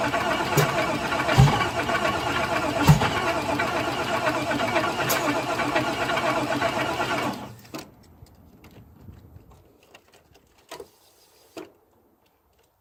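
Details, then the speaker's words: Caprice engine torn down to a short block, found with fuel-diluted oil, then given fresh oil and reassembled, intake not yet fitted: steady cranking at about four beats a second for seven seconds, but it never fires. "all right it's all back together the only thing not on is the intake but everything else is hooked up and I'm still not getting anything I don't know what to think but I'll let you listen to it too"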